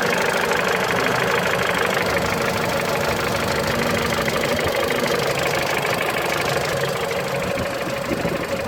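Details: Mitsubishi Lancer X with 4B10 1.8 engine and CVT at cold idle: a loose, uneven tapping of about two per second, present only when cold at idle. Engine knock, source unknown.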